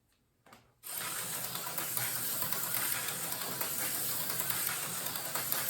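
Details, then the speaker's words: Tyco slot car chassis rebuilt from several chassis, with a hopper armature, bar magnet and cleaned commutator: a buzzy, raspy high whine with fast irregular ticking as it laps; noisier than the other chassis but still quick. "A little noisier than the other chassis. Still quite quick."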